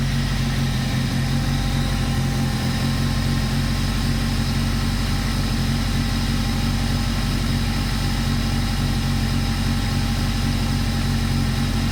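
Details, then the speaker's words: Toyota TA22 Celica with 4A-GE engine, first start after ultrasonic cleaning injectors, new fuel filter and refuelling, in neutral: loud, heavy, uneven stumbling idle; old fuel had caused idle dropping to two cylinders. "definitely doesn't sound happy."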